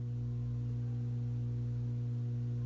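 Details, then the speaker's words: 1950s Telefunken Concertino 7 valve radio, never electronically restored: constant low mains hum with several harmonics, still audible with volume fully down, coming from the power supply; hum from failing filter capacitors. "slightly audible and I know that's coming directly from the filter capacity I got the volume all the way down"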